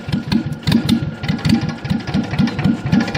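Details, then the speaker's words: Kubota GL6500 diesel generator, cold start with no air filter, after preheat: slow, uneven chuffing puffs about five per second with a hollow knock; engine running backwards, breathing out through the intake. "see she started to Chooch backwards there that was actually actually pretty sweet"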